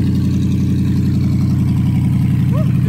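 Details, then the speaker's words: Copart auction truck after tree damage, battery charged: steady, even low idle with no knocks or misses; runs healthy, check-engine light suspected from cut-off O2 sensors. "uh truck runs pretty good obviously"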